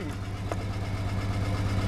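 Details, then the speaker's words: Jeep that suddenly began violently shaking with no power below about 2,000 rpm: idle hunts slightly with faint tapping from inside the engine; bent valve suspected, clogged catalytic converter back pressure also considered, not confirmed. "is jumping around a little bit so I hope you can hear that but it sounds like a vile tapping coming from inside the motor I think it might be a bent valve"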